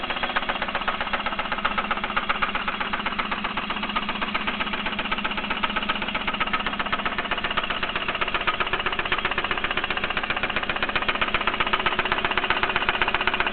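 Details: Mitsubishi 3000GT at idle: sharp, very regular tick about four per second over steady idle; owner suspects lifter tick or spun bearing, not confirmed.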